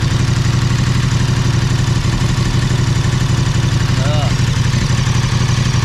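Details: KTM 1290 Super Adventure S at nearly 20,000 km, restarted after topping up Castrol 10W-50 synthetic oil with a new KTM filter: steady, even V-twin idle, low pulse about four beats a second, no knocks or rattles; healthy.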